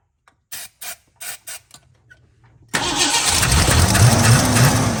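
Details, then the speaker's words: Blue dually truck with carburetor, after fuel pump replacement and a stuck starter solenoid: four quick cranking bursts, a pause, then it catches and settles to a fairly steady idle with a slightly uneven beat; leaks at carburetor bolts: engine starts and runs. "she runs all right looks like we got a couple leaks in front of the carburetor"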